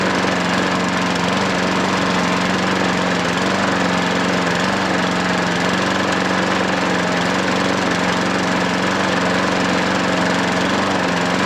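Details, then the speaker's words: Hayter 43 lawnmower single-cylinder engine, freed from hydrolock by draining oil: a steady, even drone with constant pitch and no misses or knocks; a little exhaust smoke, stop control slightly dodgy, runs well. "But a little bit of smoke on it exhaust, nothing. Really is nothing. I mean, it might burn a bit more. Seems to run alright, doesn't it?"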